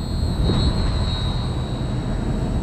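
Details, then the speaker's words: LG Multi V IV outdoor unit after compressor and inverter board replacement for error CH29/CH21: steady low hum with constant high-pitched inverter whine as the new compressor starts and pressure rises; running normally. "Okay, I can hear the compressor started. Pressure's going up."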